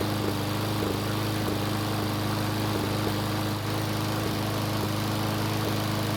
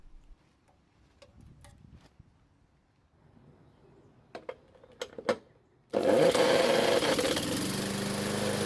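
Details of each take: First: Roughly 20-year-old Craftsman mower single-cylinder after retightening loose head bolts: steady drone with faint uneven stumbles every few beats, still sputtering; the bolts only caused a small oil leak, owner suspects the carburetor; engine sputtering. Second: Craftsman mower small engine test-run on the bench, fuel fed by bottle, started with a drill: after clinking, catches and settles into steady even buzz; runs normally after no-start repair.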